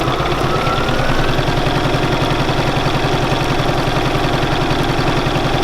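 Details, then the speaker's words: Bernina 475QE sewing machine doing free machine embroidery, stitching in circles; quick, even stitching rhythm about two beats a second, steady and unlabored; sewing beautifully. "It's sewing rather beautifully though, look at that."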